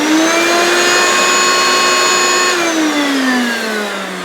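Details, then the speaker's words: New unused 1990s Hoover Turbomaster U5096 vacuum in tool mode with hose blocked off: steady high motor whine dropping in pitch after a couple of seconds as the motor labours. "now that sounds different because I've still got it in tool mode and the hose is blocked off"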